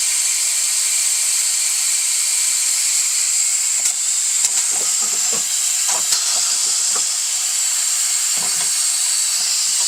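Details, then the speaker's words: Coats 5030A tire machine after pedal rebuild with new O-rings, air supply opened to pressurize: constant sharp hiss with a few handling knocks, lessening over time; possibly just filling the lines, no leak pinned down. "all right it's making less noise as time goes on so that's good maybe it's just filling up"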